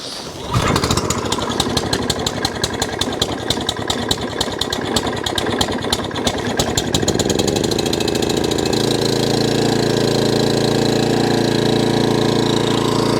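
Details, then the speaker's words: Suffolk Punch 14SK cylinder mower, cold, after carburetor clean and service to cure hunting: catches after a few pulls, then runs fast, steady and even at full throttle with no hunting; normal running. "There you go, that's now revving as fast as it should do, and no hunt. The hunting's gone."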